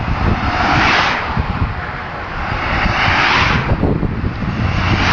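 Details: Loud, rough engine roar (whhhhraaaagh) on a Vectra 2.5, swelling and fading over a few seconds with no clear rhythm; abnormal, cause unknown.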